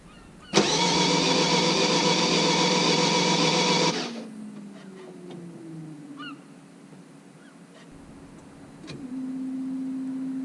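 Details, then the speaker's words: Vauxhall Vivaro van first start after clutch replacement (LUK kit, flywheel torqued 60–70 Nm): starter catches at once, loud rush of revs for a few seconds, then drops to steady quieter idle with no knocks; healthy start, no dash lights. "So, with no more further talking, let's hear the van fire up first time after this job."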